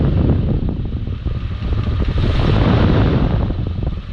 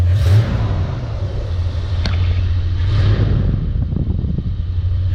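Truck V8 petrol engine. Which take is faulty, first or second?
first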